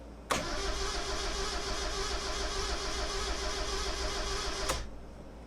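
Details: Project truck/car with a new battery just installed: strong, even cranking for about four seconds with no catch, then it stops. The engine turns over fine and builds good oil pressure but won't start.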